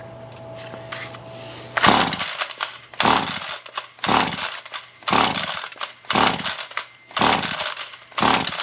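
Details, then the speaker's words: Roadside-found Ryobi weed eater after carburetor cleaning, choke on: repeated recoil pulls about once a second with rope whir but no firing; cranks but won't start, no spark suspected, plug removed to check. "all right so somewhere between cleaning the carburetor and trying to start it up I have no fire anymore"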